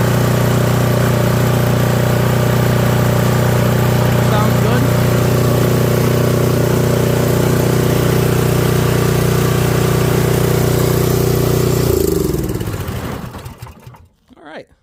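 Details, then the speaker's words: Toro 721R single-stage snowblower, barely used for a few years, run on fresh fuel with stabilizer: an even, steady single-cylinder beat around three firings a second with no misses or knocks, then a clean shutdown. It runs healthy. "Running good. Sitting. Let's check paddles. Good. Quiet."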